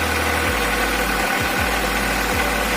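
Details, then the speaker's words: Chevrolet Rezzo with A16DMS engine knocking from about 1500 rpm, just started; rough, uneven knocking and rumble over a steady idle note, cause unknown, engine to be removed and disassembled. "Значит, двигатель стучит на оборотах от 1500."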